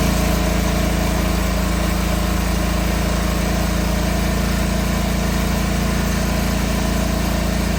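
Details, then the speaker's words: John Deere 425 mower after an oil leak repair, oil topped off and oil filter refitted, started to check for leaks; smooth, steady small-engine drone with no knocks or misses; normal running. "oil filters back on and I'mma crank it up and make sure there's no leaks. And hopefully that's got it done."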